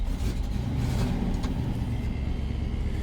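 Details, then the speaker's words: 1954 Ford F-800 fire truck with five-speed transmission, push-button started: deep, steady, even idle rumble with no knocks or misses; healthy, smooth idle. "So, you have a five-speed transmission. Listen to it purr."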